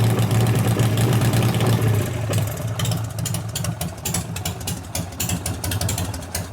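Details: 1988 Harley FXR after alternator, clutch, primary, cam and ignition work: lumpy loping V-twin idle with uneven exhaust beat, slightly ragged as it may be a little cold, but running normally.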